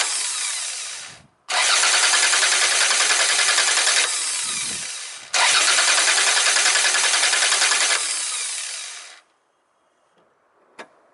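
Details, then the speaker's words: Car starter motor cranking, two bursts of quick, even cranking at about three and a half beats per second, steady and strong throughout; normal, healthy starter. "Ok and this is like normal starting Motor"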